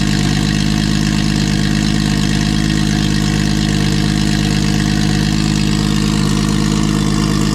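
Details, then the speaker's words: Nissan RB engine with 20 deck, after fixing a no-compression fault, now on six cylinders: strong, steady idle with even low pulse and no misfire, knock or stumble; healthy on all cylinders. "Um, so yeah, let's see what this 20 deck sounds like with six cylinders."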